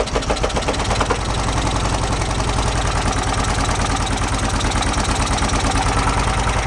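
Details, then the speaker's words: 1966 VW Beetle after cleaning the points: lumpy, uneven idle with a steady tapping knock that comes and goes. Oil light goes out; a hanging or binding valve is suspected, with valve adjustment planned. "that didn't sound good at all thinking the valves are kind of a little binding a little go ahead I'm not sounding too promising"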